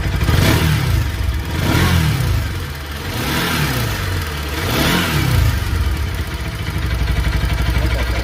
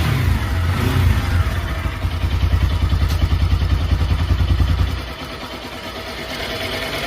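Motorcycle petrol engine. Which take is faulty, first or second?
first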